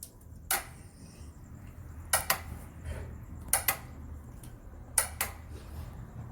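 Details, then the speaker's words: Bajaj Avenger 220 motorcycle, recently bought, lights and electrics all working: sharp single clicks about every second with no cranking when starting. Not the battery; the starter relay was loose and not feeding the starter motor. "at the moment that I try to start it it will make a clicking noise and it sounds something like this"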